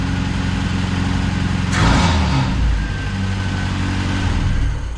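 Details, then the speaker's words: Saab Sonett, previously not running, after replacing the distributor rotor, which the owner believes had failed: it catches after a short crank and runs steadily and evenly with a light rev. "oh my God it works it runs it runs great"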